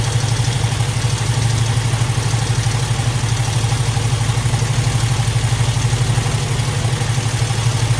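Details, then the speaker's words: Squarebody Chevy at idle: one side ran smooth after the first fix, but the other bank sounds rattly. A light, even clatter about twice a second over the idle comes from a sticking exhaust valve. "Pull this side apart. Sounds a little rattly over here too."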